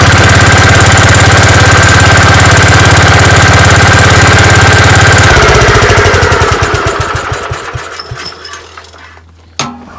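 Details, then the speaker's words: Gravely 5665 single-cylinder engine with a newly installed China carburetor, mixture screws at one and a half turns, run unloaded: steady even thumping, then shut off and coasting down cleanly; runs smoothly and healthy. "sweet that ran like a champ obviously I got to put it under some load and see how it does then but that sounded that sounded perfect"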